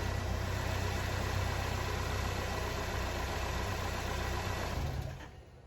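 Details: Car engine idling after a fresh oil change with 5 quarts of 5W30, started to confirm oil pressure and no leaks; steady, even low idle hum with no knocks or ticks for about five seconds before shutoff; healthy idle.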